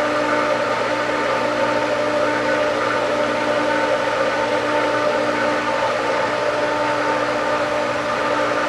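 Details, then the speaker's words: Pool pump at spring pool opening after reassembly: steady motor whine with a constant water rush and no gurgling air surges; water coming in slowly then picking up as the pump catches prime. Owner hopes no air is being sucked in. "And we do have water coming in. Slowly, it's speeding up. Hopefully we're not sucking any air from here, which would impede that, but we'll see. It's picking up, I think. It is picking up."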